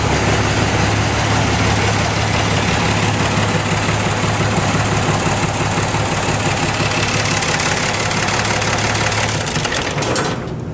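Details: Ford 9600 diesel tractor, little used for years (134 hours), started after sitting: steady, even low diesel idle with loud, solid clatter and no misses; runs fine.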